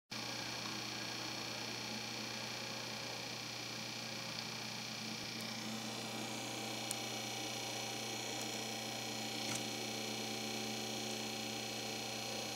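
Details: Corsair HG10 N780 GPU cooling bracket blower fan, used with an H45 AIO; replacement unit had the same fault: loud, steady rushing whir with fixed humming tones, loud as a moped; noisy faulty blower fan.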